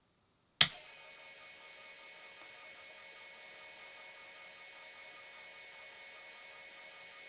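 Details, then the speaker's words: Commodore 8050 dual floppy drive initializing with no disk inserted: a click, then a steady high whirring with a coarse, dry edge. Owner suspects it needs lubrication; cause unconfirmed. "So it sounds similar. Doesn't sound hugely healthy. Maybe needs a bit of lubrication."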